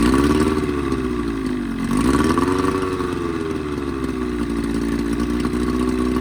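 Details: 20hp Evinrude outboard modified to 25hp, after full service (head cleaned, new thermostat, gaskets, primer seals, plug wires, water pump kit): revs rise and dip unevenly with rough buzzing and sputtering; lean cough, spit and sneeze.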